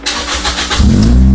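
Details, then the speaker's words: Toyota Vios Gen 2 after replacing the faulty fuel pump that caused it to stall: a short crank catches at once and settles into an even steady idle, check engine light off; normal start and idle. "Oke, mantap. Sudah mau hidup ya. Untuk engine-nya sudah normal, cek engine juga mati, indikator normal semua."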